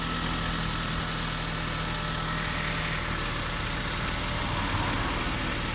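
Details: Kia Sorento 2 engine knock at idle: a busy rattly clatter over a steady idle with faint, uneven knocks at roughly three per second; cause unknown.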